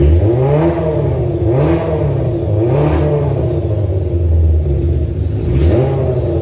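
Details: Kawasaki ZZR 1100 four-cylinder engine swapped into a Fiat Panda 750 Fire, during engine tests: quick repeated rev blips with a clean rise and fall in pitch. Runs smoothly.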